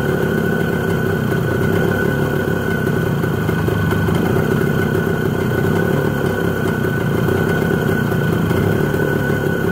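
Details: ČZ 125/453 two-stroke running after an engine overhaul: an even, steady beat with a constant tone and no knocks or rattles; idling smoothly and healthy.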